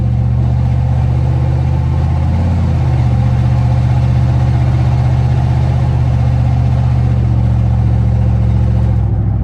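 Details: Van running, heard going downhill: a deep, loud, uneven rumble with a raw hot-rod bark; an exhaust leak from a blown-open exhaust and split catalytic converter letting gas escape.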